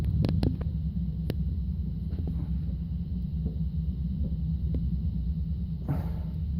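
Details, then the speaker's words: Structure-borne noise from an exercise machine in the apartment upstairs, recorded at the ceiling: a dull, low rumble with uneven thuds as the apartment vibrates heavily. "the apartment is being vibrated heavily by this noise I hope you can hear it is the ceiling right here"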